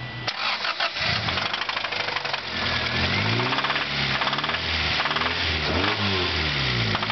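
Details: 1992 Acura Integra (DB1) starting and revving with heavy rhythmic knocking that quickens with engine speed: rod knock, engine about to throw a rod before being replaced.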